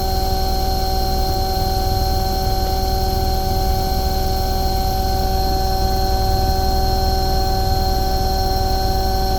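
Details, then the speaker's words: Omni/Econo Heat/Morrheat waste oil heater burner after cleaning and nozzle service, at about 12.5: steady even roar with low rumble, no popping; running beautifully, earlier smoke clearing. "that's B that's actually really good it's actually running beautiful there it's just oh about 12 and 1/2 that smoke is clearing now"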